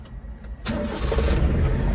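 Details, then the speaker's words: JDM kei vehicle: the starter spins the engine with a low, uneven churn that never catches; it cranks but won't start because it is out of gas, and a fuel-cap tab had broken off. "I just have no gas what was the culprit"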